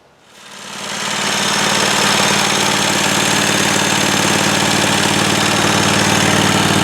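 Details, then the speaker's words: John Deere 345 garden tractor, Kawasaki FD611V twin-cylinder engine, started after cooling-system service with new coolant and hoses, warming to operating temperature to check for leaks: settles into a steady even beat with a busy, slightly rattly top end; runs normally. "So we'll start it up, get it up to operating temperature, make sure we've got no leaks. And then we'll call this project finished."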